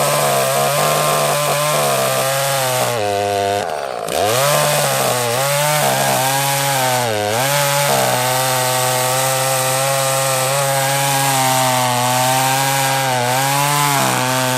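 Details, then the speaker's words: Echo CS-330T top-handle chainsaw, carb screws half a turn out: steady high buzz sags hard twice and nearly dies before recovering; fuel starvation, later traced to a gasket with glue gunk on it. "sounds like we might be out of gas"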